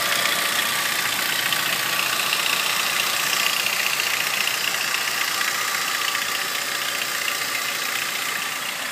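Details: Ford Ranger engine at idle with a light, sharp ticking about four times a second over a steady idle, clearest in the high end; source not identified.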